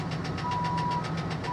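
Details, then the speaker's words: 2014 Infiniti QX60, 119,000 miles, hail-damaged and long-sitting at salvage auction, has oil pressure: quick, even ticking about seven a second over a rough idle; sounds like an internal engine knock, suspected not confirmed. "Maybe it'll go away. She's got oil pressure. No, that doesn't sound good."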